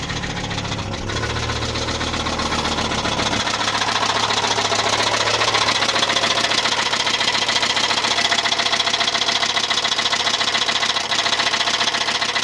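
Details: Volvo 850 Platinum turbo engine running: hard, regular knocking three or four times a second, from a rod bearing, not the cams; needs new bearings.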